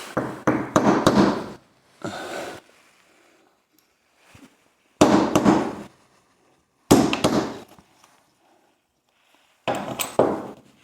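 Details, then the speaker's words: Briggs and Stratton engine on a Brutus Power Roller, recoil clutch removed, cleaned and reassembled: short bursts of crisp, rapid clicking as the pulley turns. It ratchets one way and locks the other. Cause of the earlier ball hang-up is unclear, with little corrosion found. "You can hear it ratcheting now, so it turns one way, locks in the other way."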